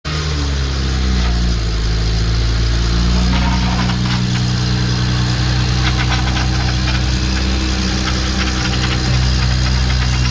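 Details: Engine just after an oil pan gasket and rod bearing service: at idle, a loose, irregular knocking clatters at about three per second, and the engine was shut off immediately. Bottom-end knock.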